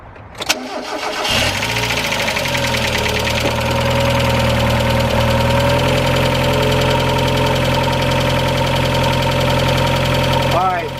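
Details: Mazda Miata at cold idle before Rislone engine treatment and oil change: fast light ticking about three to four a second from the top end; owner suspects clogged lifters, a common Miata issue.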